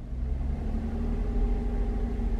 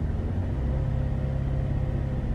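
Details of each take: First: Chevrolet Traverse with rough, surging idle, held at about 1500 rpm: uneven low rumble with occasional dropped beats; scanner shows cylinder 4 misfires. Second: Chevrolet Traverse after replacing bad spark plugs that caused misfires, surging and rough idle, following relearn: steady, even low rumble held at 1500 rpm, no stumbles or stuttering, no misfires on scanner; normal.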